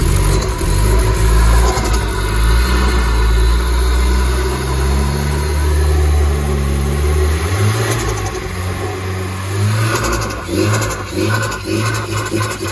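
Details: Nissan S14 with an SR engine swap, freshly rewired, untuned, just refuelled with 93 octane: an uneven, loping idle that hunts and surges after a few revs.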